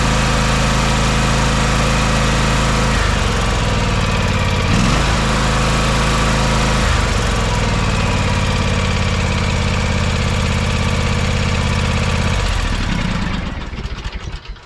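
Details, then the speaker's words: John Deere X570 garden tractor, restarted after a full service with oil and fuel filter changes: a steady, even low drone with a smooth beat and no knocks or stumbles, a normal idle, then shut off. "buttery smooth"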